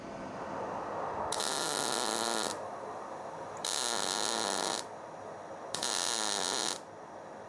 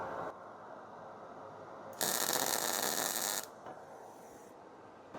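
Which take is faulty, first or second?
second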